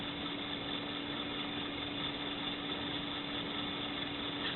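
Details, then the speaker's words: 1970s JVC HR-4100EK portable colour VHS recorder on its AA-P41EK power adapter, fast-forwarding a tape: quiet, steady motor hum with even pitch and no grinding or flutter, not very fast but normal winding. "Forward in, not very fast though. That seems pretty good."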